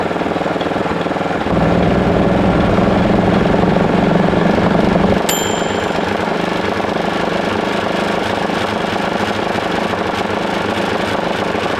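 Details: 1941 Caterpillar dozer, sat for a few years: main diesel spun over via the pony motor, steady mechanical churning with uneven pops, never catches; owners suspect insufficient fuel, maybe plugged fuel filters.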